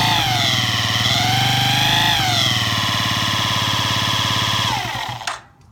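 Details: Yamaha Jog ZR two-stroke scooter (SA36J/SA39J), about 9,000 km, accident-damaged, before repair: steady rapid ticking over exhaust buzz that rises and falls with throttle. Abnormal engine noise, cause unknown.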